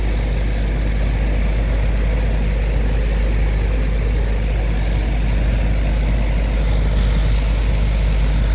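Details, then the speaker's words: Outdoor AC unit that stopped running weeks after the owner replaced the capacitor: constant low electrical hum with no run-up or change; compressor hums but never starts, terminals intact with no burn marks, compressor failed. "All right, guys. I got everything in. And nope, this compressor is shot."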